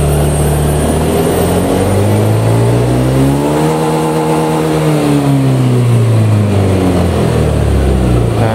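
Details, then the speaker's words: Honda Beat injection scooter that stuttered and bogged at high rpm, fixed by installing a new throttle body; at full throttle the note climbs smoothly to high revs and eases back with no stumble or bogging. "Nah kita coba hidupkan oke nah sekarang kita coba gigas full ya"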